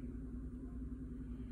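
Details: 2013 GMC Sierra 5.3L flex-fuel V8, warm idle in closed loop, being diagnosed for P0172/P0175 rich running and a hard cold start; the ECM misreports 53% alcohol against under 10% actual. The idle is quiet and even, with no misses.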